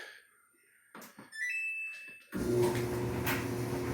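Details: Samsung dryer after replacing the idler pulley and rear drum wheels, running a full wet load on heavy duty: panel beeps and clicks, then an even drum rumble with no squeal or screech.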